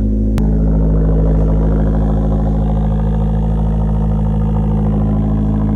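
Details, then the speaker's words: Fiat Abarth 500, first start in neutral: sharp start settling into even, steady idle with a smooth low beat, no ticking or knocking. "Sounds good."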